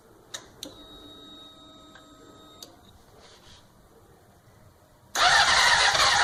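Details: 2004 Honda CBR600RR won't start: after a few chimes and clicks the starter spins for about a second but the engine never catches; cranks without starting.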